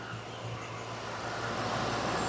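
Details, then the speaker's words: 2019 Ford F53 6.8 V10 gasoline after shaft replacement fixing P0304 cylinder 4 misfire, during power balance test: smooth steady drone with no stumble or skip; all ten cylinders pulling evenly. "pueden ver el motor está trabajando excelente verdad Ahí está no sé si se acuerdan la gran falla que tenía está parejito son 10 cilindros"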